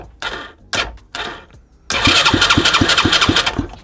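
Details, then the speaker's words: Used Chinese 125cc engine with a newly rewired harness: short starter bursts, then about three seconds of even cranking at roughly three beats a second that never catches. Crank, no start with no spark. "I wasn't paying attention to this at all. No spark, none at all."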